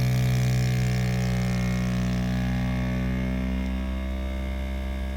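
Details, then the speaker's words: Mini 3D vacuum heat press, vacuum button pressed to evacuate a cup mold with air hose attached: steady low motor drone settling slightly lower as it pulls down; vacuum pump running normally. "press the vacuum button you can see the cup is getting vacated"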